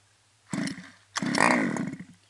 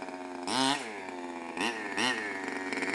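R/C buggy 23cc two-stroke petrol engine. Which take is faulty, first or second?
second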